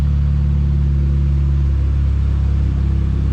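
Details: Pontiac Sunfire after a new alternator was fitted, idling with a low, even rumble and no ticks, squeals or grinding; the earlier growl from the old alternator is gone.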